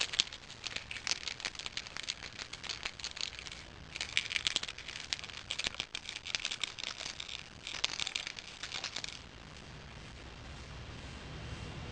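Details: 2 amp charger: loose, irregular rattling and clattering each time the unit is moved, like a broken piece loose inside the case; cause suspected, not confirmed.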